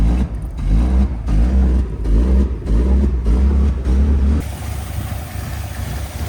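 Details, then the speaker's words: Datsun 280ZX, just started and driven after parts were replaced for a no-start, surges and sags about every half second under revs, then drops to a lumpy, uneven idle. It is running rough and barely alive; cause unknown. "I'm not going to lie this thing sounds like sh it's like barely alive right now hopefully it can withand the drive"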